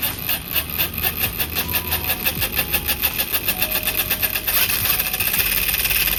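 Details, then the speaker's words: 1:10 scale SCX10-clone adventure RC crawler kit, Fusion Pro motor on 3S battery: fast, regular gritty rattle pulsing with each turn as the wobbling spur gear meshes loose then tight with the pinion; gearbox needs re-adjusting. "Ini lumayan gearboxnya itu lumayan goyang-goyang. Jadi suaranya berisik. Nih sepurnya goyang-goyang, Guys."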